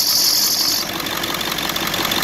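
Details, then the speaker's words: 2001 Ford F-350 7.3 Powerstroke at idle with a new idler and tensioner, WD sprayed on the back of the belt. A sharp squeal cuts out and the belt jumps off center. Worn, dragging water pump pulley; water pump to be replaced. "you see it jump off the backpack air that means that pulley down there is bad my water pumps dragging I'm gonna also replace the water pump"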